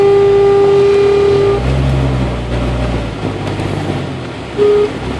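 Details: 1992 Jeep Cherokee with A/C on: steady high whine over the engine that cuts out as revs change and briefly returns, mostly at low RPM; caused by an overcharged A/C system letting liquid refrigerant reach the compressor.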